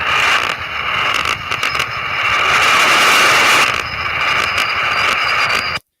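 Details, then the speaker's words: Power line arcing on HF from large transmission feeder lines on metal towers: several seconds of harsh, loud crackling buzz, then silence after each arc as the radio's AGC reacts. "you'll notice that after each major arc, there's silence, and that's because the AGC on your radio is taking over from the very giant lightning or the power line strike."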